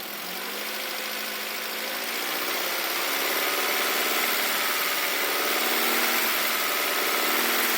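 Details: Engine revving slightly: quick, very even ticking about four per second above the hum; owner unsure whether rod knock or valve adjustment.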